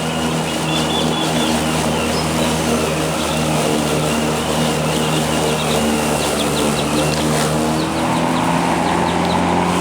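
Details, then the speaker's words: Black and Decker SPCM1936 36 V cordless self-propelled mower, lead-acid battery over 2 years old, one bar showing: steady motor hum with thin whine and cutting rasp, labouring under load; loses power halfway through mowing from worn battery. "I made it through that pass it's just barely running right now but the grass is full charge throughout the entire moment session it's losing power about halfway through"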